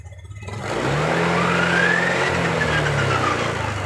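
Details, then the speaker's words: Honda Beat LED Deluxe scooter with stored DTC code 7, before repair: engine stutters unevenly, about three pulses a second, as the throttle first opens, then picks up and holds revs; intermittent hesitation, EOT temperature sensor to be checked on scanner. "Digas ini, Bro. Ya, awal ya. Ini dias awalnya merebet seperti ini."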